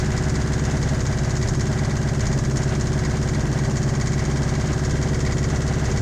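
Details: 1986 Toyota MR2 AW11 engine from a salvage-yard parts car, idling after the last vacuum leak was fixed; heavy, uneven low thumping about three times a second. Owner says it sounds like rod knock, not confirmed.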